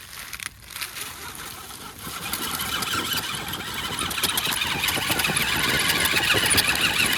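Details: Wraith 1.9 RC crawler, 3-gear transmission, AR-60 axles: whiny, gritty rasp that thickens as motor speeds up, chirping from the front; ring and pinion teeth or pinion input bearing suspected: front axle grinding.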